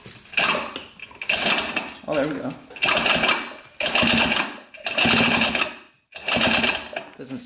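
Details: 1980 Honda CR80 barn-find two-stroke, spark plug out, engine turned over: short bursts of rough, dragging, snagging spin, caused by the flywheel rubbing on a bent pickup coil.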